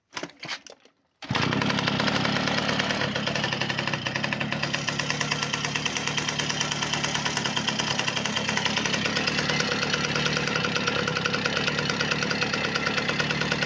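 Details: V50 two-stroke after full overhaul with a Dio piston: picks up after a brief start and settles into a quick, steady buzzing beat without misfires; engine runs perfectly.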